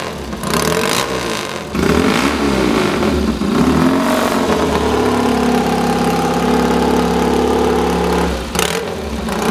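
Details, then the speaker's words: Replica of Bud Ekins' 1963 Triumph TT desert racer, full engine rebuild, new Amal 389 monoblock carbs: after the kick the twin catches with an even beat, taking throttle blips cleanly without misfires; healthy engine. "It sounds beautiful. I mean, what you've got to imagine is this bike in 1963 racing across the desert."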